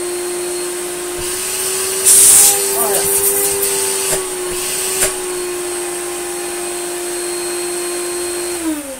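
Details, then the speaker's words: Electrolux Slimline 185 vacuum cleaner with broken cables found, reassembled: steady high motor hum at even pitch, then winding down; motor runs normally. "Oh No well it runs all right let's put the speed control knob back home"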